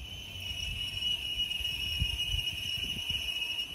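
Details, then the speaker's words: 2011 GMC Yukon driving: constant high-pitched squeal over low road rumble as worn brake pads reach their squeaker wear indicator, showing a brake job is due. "these brake pads are designed to have a squeaker on them so when they get worn enough they'll get worn down to that squeaker so you'll have that constant noise all the time so if you hear this noise there's a good chance you need to do a brake job"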